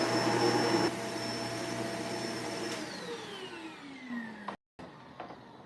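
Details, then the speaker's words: Vacuum cleaner motor running on the bench before any repair: strong, steady high whir with an even tone, winding down smoothly at switch-off; the motor sounds healthy, though another problem is already visible. "Well, all right. Motor sounds fine, but I already see something going on with this."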